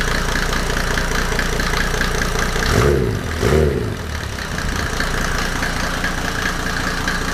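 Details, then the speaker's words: W124 with OM606 turbo diesel just after first start, no intake manifold fitted: steady diesel clatter at an even idle with a brief dip midway. The owner had worried the timing was off, but hears no nailing; a healthy idle. "but everything seems to be fine now and yeah it uh revved um i was worried about the timing that it was off but um so far i didn't hear any nailing"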